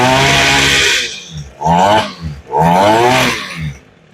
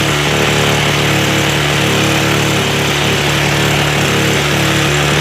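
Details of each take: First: Echo SRM 225 trimmer, primed and choked: runs strong at high revs, then sputters and stalls as throttle drops to idle; dirty carburetor. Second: Echo SRM 225 trimmer after a carb rebuild, choke off: revs up cleanly and holds a steady, even two-stroke buzz, idling too high from the earlier idle-screw adjustment.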